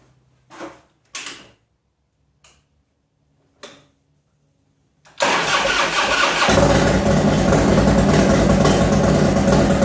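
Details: 1995 Harley Heritage, first run after rebuild with Screaming Eagle heads, bored cylinders, Wiseco pistons, Woods WH6H cam, Mikuni 42 carburetor: several short cranking bursts, then strong even loping idle, no knocks; healthy start.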